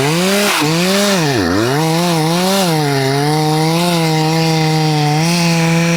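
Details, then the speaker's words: Husqvarna 266XP rebuilt chainsaw with brand-new chain, owner also suspects bottom-end bearings: labors in the cut, revs sagging and wandering instead of a clean high scream; chain is dull. "That is it. That chain is dull. Um I wonder what caused that."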